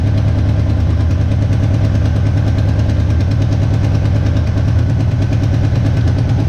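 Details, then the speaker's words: 1975 GMC Sierra 1500 V8, first start after sitting, carburetor suspected plugged: rapid even ticking keeping pace with lumpy idle from a rusted-through header tube with a hole, not an internal knock; exhaust leak. "Starts up, idles. Other than that exhaust leak, it sounds halfway decent."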